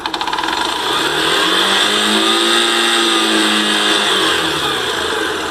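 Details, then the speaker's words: Factor: the engine sweeps up and settles back with no noise at high revs. The idle rattle, at the starter side, is suspected to come from the starter's one-way clutch. "o barulho é mais caracteriza esse lado não pode ser que a embreagem o direcional que fica no conjunto da partida elétrica está fazendo"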